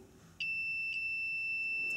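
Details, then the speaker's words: Starter relay bench test with a multimeter, coil powered: steady high continuity beep for about 1.5 seconds, showing the relay contacts close properly. "one lead on the bottom one on top there we go continuity"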